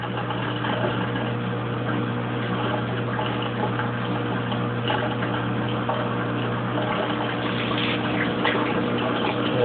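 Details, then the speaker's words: Kenmore Oasis top-load washer under repair for OL code, test run with no soap, about 30 minutes left still showing wash: steady low drain-pump hum with water rushing and gurgling as the tub empties normally, at the stage where the OL code used to appear. "So now we're at 30 minutes, and it is pumping. Still showing the wash cycle."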